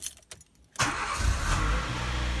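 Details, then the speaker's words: Nissan Micra K11 after a long-crank/hard-start fault was fixed by repairing a coolant leak and refilling the low coolant that affected the coolant temperature sensor: it catches immediately and settles into a steady idle. "Immediately. It's amazing what the coolant temperature sensor can do, and it is often overlooked."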